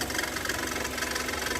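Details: Kia Sorento idling with water poured on the accessory belts: rapid, sharp, fast-pulsing chirp as the wrong-length, too-slack serpentine belt slips. Complaint is noise and a battery light whenever the engine gets wet or the car is driven in rain.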